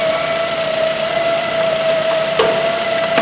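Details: 2008 Ford Focus 1.8 petrol that lost electrical power and died; at idle with electrical loads on, a steady high-pitched squeal sits above the engine note, confirmed with a screwdriver as the alternator, alternator to be replaced.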